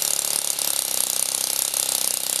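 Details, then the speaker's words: Saito FA-40 four-stroke glow plug model engine, 6.6 cc, methanol/nitromethane fuel, glow plug on 1.2 V, propeller started by hand: high rapid even buzz, steady firing, no misses; running normally. "The fuel-air mix is ignited by the hot glow plug close to the top dead center and this exactly timed explosion causes the rotation of the propeller which is attached to the crankshaft."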